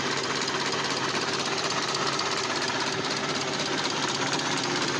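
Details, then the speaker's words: SAAB 9000 turbo, abandoned 5 years, new battery and spark plugs, first start: lumpy uneven idle pulsing about twice a second, engine shaking badly; owner suspects misfiring, cause unclear; rough running. "so i wasn't expecting that it runs from the first start basically just i just uh was a bit afraid and restarted but oh man the engine seems to run really rough"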